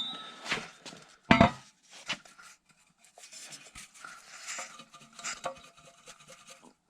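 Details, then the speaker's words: Porsche 996 catalytic converter, removed after a P0420 code, shaken by hand gives irregular metallic clinks and rattles from broken loose substrate that had been banging against the O2 sensor. "So definitely had a problem with this cat. And let's see if I can make it so you can hear it."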